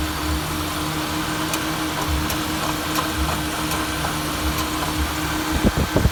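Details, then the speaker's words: 2000 Honda CR-V idling: quiet idle with sharp isolated on-off clicks about a second apart and a short cluster near the end, from the front corner of the engine; owner says it sounds like the starter, cause unknown. "It sounds like a starter. It's over in this corner."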